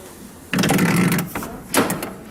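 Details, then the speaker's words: Lada Vesta door on opening: a dry, groaning creak of about a second, then a shorter creak, like a shed door. An unlubricated door squeak; commenters suggested lubricating the door, and the owner is about to lubricate it. Cause not confirmed. "открываем дверь и слышим такой звук как будто в сарае до открывается дверь не какая-то в уазике"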